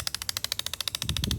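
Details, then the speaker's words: 2008 Chevrolet Impala heater blend door actuator, removed and running apart: quick sharp plastic clicks about twelve a second over a faint motor whir as the gear skips on broken teeth. The motor is fine; the actuator is being replaced. "because those teeth are broken, and then it's okay, comes around, pop, pop, pop, pop, pop, pop, pop, pop. So eventually it'll get back on track and stop."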